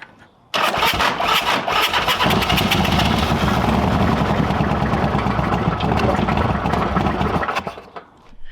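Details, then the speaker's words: Old Harley-Davidson V-twin: starter chugs over fast and labouring for about seven seconds but never catches; the battery, installed only the day before, is too weak, and attempts overheated the ground; replacing the battery. "so we've by trying to start it we overheated the ground so we're gonna run and get a new battery um this battery was put in yesterday but you know what sometimes is how it goes"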